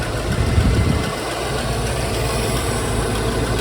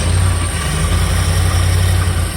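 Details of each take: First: Jensen Healey V8 with new heads, hot at idle: even idle with light intermittent ticking; owner unsure, maybe lifters; possible exhaust pipe leak suspected. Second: Jensen Healey V8 on first fire-up after new cylinder heads, engine stone cold and warming up, oil burning off the exhausts: a deep, steady burble at cold idle with even firing and no knocks or misses, running cleanly.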